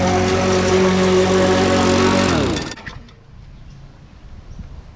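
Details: Curbside Craftsman push mower after carburetor removed and cleaned, run under load; a bit of the carburetor gasket broke off. Pulls steady and even for a couple of seconds, then cuts off and winds down; normal running under load.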